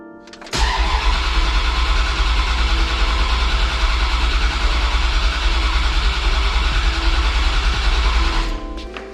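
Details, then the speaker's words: Dodge Dakota R/T, 95,000-mile 5.9L Magnum V8 with new heads and cam. Fuel pump relay pulled to prime oil before first start. Starter spins it steadily for about eight seconds with even compression pulses and no firing, as expected; normal priming crank. "Alright, so we'll do that a few times and then we'll put the relay back in. Okay, so we primed it a few times, so I'm gonna go ahead, we'll throw our relay back in, our fuel pump."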